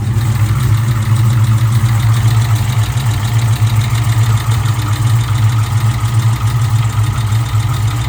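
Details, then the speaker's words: Supercharged Hellephant 300 V8, hot, run with the supercharger and accessory belts removed: loud deep idle with a faint fast tick judged to come from inside the engine; cause unknown, engine to be pulled. "yeah that's from inside the motor for sure that does not sound"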